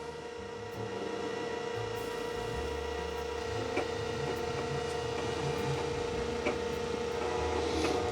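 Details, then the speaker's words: Datavue Snap 1+1 portable MS-DOS computer's hard drive: steady whine with faint head-seeking ticks about three or four a second, taking too long and failing to boot. "I can hear the heads moving a little bit but not too [Music] hopeful yeah this is just taking too [Music] long"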